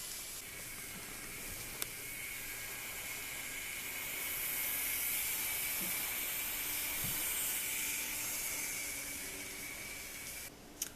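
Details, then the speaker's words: Minitrix US Army streamline class 03.10 steam locomotive set: thin, steady high-pitched motor whine like a tiny vacuum over faint track hiss while running; noisy motor. "the noise level to me isn't that great so I'm giving it a three that might be even generous because it is kind of loud and probably the most disappointing quality of this thing is is the noise level"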